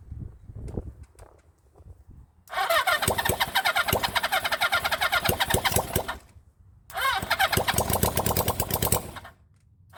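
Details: 1975 Honda CB400 Four rebuilt engine on first start: cranks, catches and revs in two bursts of busy, raspy running that fade between; starts easily but a carburettor keeps flooding, float suspected stuck.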